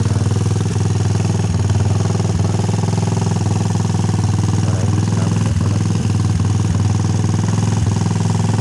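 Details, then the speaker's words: Rusi 150 motorcycle that had no/very weak spark, after fixing the ignition coil: small single thumps at a steady, even idle with no misses or odd knocks; now starts and runs, no other fault, normal idle. "umandar na siya So Okay lang wala ibang sira to"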